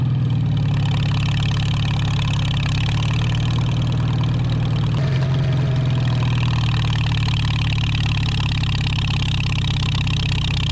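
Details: 1949 Farmall H tractor revived after sitting roughly 10–20 years: deep, steady, even idle rumble without knocks or surging; sounds more loaded but smoother. Normal running.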